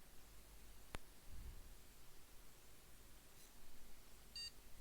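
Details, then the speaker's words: PC motherboard single short high POST beep in a quiet room after holding MEM OK! button and restart; normal boot, picture appears, BIOS then reports USB over-current status though no USB devices are fitted. "yeah one bleep and i have a picture you can see on the screen up here"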